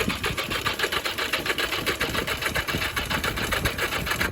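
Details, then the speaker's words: Barn-find 1982 Yamaha Maxim XJ750 cranking on a possibly undercharged battery: slow, laboured starter chugging that never catches. The plugs were found flooded; the owner suspects it needs a stronger battery or starter fluid, and possibly has weak spark. "we need a stronger battery or some uh starter fluid one of the most important things is a dry spark plug which we have flooded these out so all four of these need cleaned and dried"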